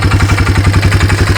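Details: 1995 Yamaha Timberwolf 250 ATV, idling. It had been run low on oil from a leaking drain-plug O-ring and it smokes. A quick, even valve-train tick over the low thump suggests lifters or rockers need adjusting, or the cam is worn.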